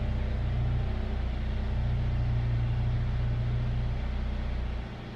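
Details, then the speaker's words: "JJ" idling after a catalytic converter was installed to reduce exhaust drone, with a deep, steady rumble and no knocks. It reads about 75 dB against 60 dB ambient and sounds hardly any different. "About 75 decibels, and honestly to my ears I can't really tell the difference."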